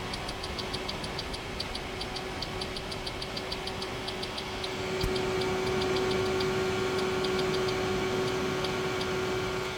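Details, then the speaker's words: E3634A bench power supply under load, microphone held near the pass transistor: steady low roughly 150 Hz pre-regulator buzz under cooling fan hiss, growing as the mic nears; normal pre-regulator hum. "kind of sounds like a 150 Hertz buzzing buzzing sound"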